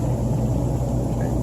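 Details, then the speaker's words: Hot tub after replacing the control unit with a PID temperature controller, dry run of functions: smooth even pump motor hum, steady low drone, no rattles or surging; all functions work normally. "functions just like it should"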